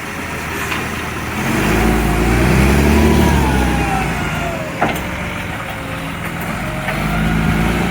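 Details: Recycling truck, diesel: quick regular ticking puff about four a second over the engine rumble as it works; exhaust leak.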